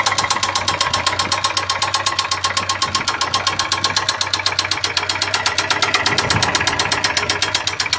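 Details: Ford Sierra 2.0 carburetted engine at idle; fast, fairly even knock about four per second, an extraneous internal knock whose source is not identified.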